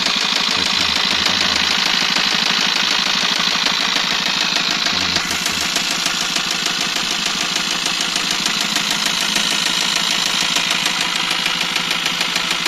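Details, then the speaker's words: Eicher truck diesel engine that had broken down with heavy noise from the engine at the piston and blow-by; coolant checked, engine run: steady hard knock about three beats per second over harsh noisy idle; engine knock suspected, cause unconfirmed. "बहुत आवाज आ रही थी engine से piston पे और इसका back glow भी था।"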